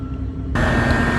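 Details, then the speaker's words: Trane XR13 condenser after fixing a compressor that would not start: compressor comes on abruptly with a steady hum and clear high tone, running smooth and even; normal running. "so we're back up and running and let me tell you what I did because the compressor wasn't kicking on"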